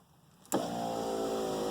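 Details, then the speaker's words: 1987 Mercedes 300 SDL power window after its track was greased: smooth, steady motor whine for just over a second with no grinding, binding or clicks; window regulator running freely. "oh yeah that's perfect so i'm going to put some grease that track there oh yeah that's gonna be really good"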